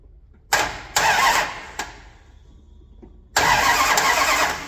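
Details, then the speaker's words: 1978 Dodge D200, 100,000-mile big block 400 with 727 automatic, after reseal, new timing set and ignition parts, cranked from the solenoid: spins in bursts but never catches, since plug wires followed clockwise instead of counterclockwise distributor rotation. "I had the firing order wrong on the distributor. I had number 1 right, but I put them in as if they were doing clockwise rotation on the distributor. It's supposed to be counterclockwise."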